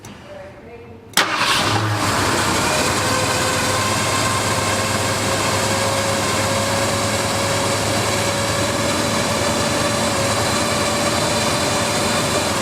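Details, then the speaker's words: Flooded 1978 Ford F-150 with new tank, first fire-up: it catches quickly after a short crank and settles into a steady, even V8 idle with no misses or knocks. Oil pressure is up; a healthy start and idle. "smoothest it's ever ran. Wow, okay. That's a whole new motor. Booger's alive and finally healthy."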